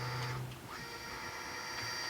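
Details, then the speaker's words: Stepper X-axis jogging in TurboCNC on a quad-core i5 PC, about 1500 Hz step rate with earlier acceleration setting: whining tones stepping in pitch, slightly uneven and harsh; rough jog, not the greatest but would likely work. "So you can hear it. It's not the greatest, but I'm sure it would work fine."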